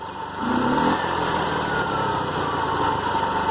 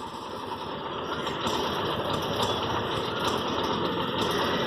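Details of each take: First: TVS King three-wheeler with a bad engine noise and an air filter hose replacement; engine revs up briefly then settles into a steady, smooth hum with no knocks or rattles, running normally. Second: TVS King engine with a bad noise: a coarse, hissy, uneven drone with faint irregular puffs, pointing to a split or loose air filter hose that needs replacement.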